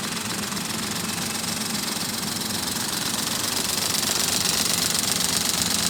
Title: Engine noise Alto 800